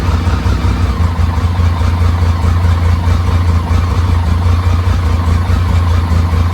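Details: BMW K75, after restoration: low, uneven idle loping irregularly about a beat and a half per second; a vacuum leak at the intake manifold rubber lets in unmetered air and makes it stumble.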